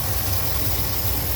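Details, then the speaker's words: Cadillac 8-6-4 after new idle speed motor, first run in three months, warming up: lumpy, uneven idle around 800-900 rpm instead of the 1500 spec, sounds like a misfire, no ECM codes. "and the meter's working, showing me around 8 or 900 RPM, but it's running kind of rough. Um, sounds like it's got a misfire."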